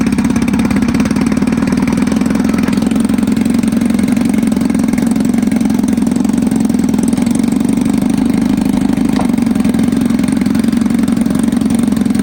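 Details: 1954 Evinrude 7.5 HP Fleet Twin outboard, sat for years, revived with new coils, cleaned points, rebuilt carb; running with hood on, staying cool: steady, even two-stroke buzz at constant speed, no misses, surging or knocking; normal running.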